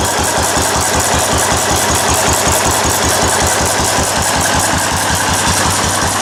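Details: Restored 4 hp Cushman Binder single-cylinder engine with wide flywheel, original paint and tank, started stone cold after priming: sharp evenly spaced exhaust barks two to three per second, crisp with no stumbling; runs well after restoration.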